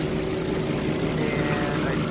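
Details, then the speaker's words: Volvo S60 with overheating, idling with AC on after reconnecting a broken signal wire at the cooling fan relay; steady rushing airflow, radiator fan now working and cycling on and off normally. "and I do believe the fan is working now."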